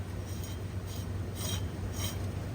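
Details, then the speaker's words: Original, heavily rusted AC compressor on a 2003 Ford F-350, turned by hand with the belt tensioner removed. It makes a rough rasping scrape about twice a second and hangs up: the clutch is bad, so the whole compressor is being replaced. "and you should be able to hear that, but it's hanging up. So this whole clutch is bad, and so it's easier just to take and change this whole thing out, because it's also a 2003, and so that's extremely old, and that is the original one that's on there."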